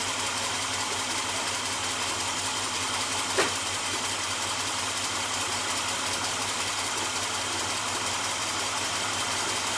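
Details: 1976 GMC Suburban 4x4, Chevy small block 400 V8, after replacing a broken exhaust manifold: steady, even idle hum with a single brief tap, no ticking or exhaust puffing; runs healthy.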